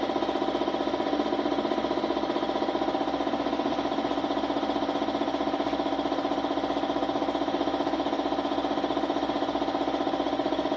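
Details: Suzuki Smash motorcycle, small single-cylinder chugging roughly four beats a second with rough pulsing note, running ragged; hard starting, misfiring (palyado), stalling, hiccuping, rough running.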